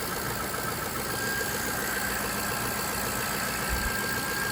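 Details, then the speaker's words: 2003 Jaguar XJ8 (X308) V8, first run in months after replacing bank 2 upstream oxygen sensor (P1647), penetrating oil burning off, codes cleared: smooth, even idle, steady low hum, no knocks, misses or rattles; running cleanly. "But she's all back together. She is running."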